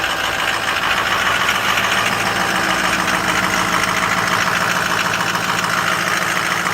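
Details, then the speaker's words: 2007 Ford F250 6.0 diesel just after cold start, fluids checked: steady cold idle with the usual even diesel clatter, no odd knocks or misses; normal for a 6.0. "you know six those that's what they sound like"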